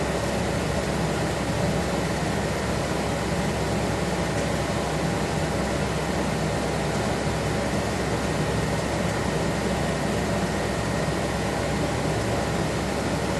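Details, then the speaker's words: 1976 Corvette restomod with Holley Sniper EFI, ignition on, engine off, fuses 4 and 5 pulled: steady loud unchanging rushing whir; electric cooling fan runs when it shouldn't, no fuel pressure, cause suspected, not confirmed. "I'm wondering, was 5 the transmission controller? Still getting the fan."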